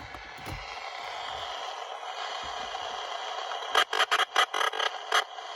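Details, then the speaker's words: Toyota smart key system, AM radio: radio hiss broken by short sharp buzzing pulses about twice a second; console oscillator constantly polling for the key after it was removed, lasting about 30 seconds to a minute after door opens. "you can hear that radio talking to the key from the oscillator in the center console. There's the key, it's just been removed from the car, and there's your constant asking for a key."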